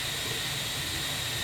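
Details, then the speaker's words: IPR valve bench test at about 12-13.8 V: a steady air hiss with a thin high tone that does not change when voltage energizes the solenoid, though the solenoid can be felt moving slightly; owner suspects a bad IPR valve. "now you'll note that there's absolutely no change with this air here so my assumption is that I have got a bad I PR valve"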